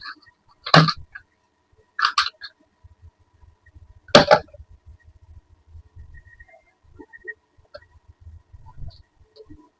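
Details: AC/DC fan on a 12 V supply: three short, sharp beeps about two seconds apart, then faint clicks and no motor spin. The DC driver side is faulty.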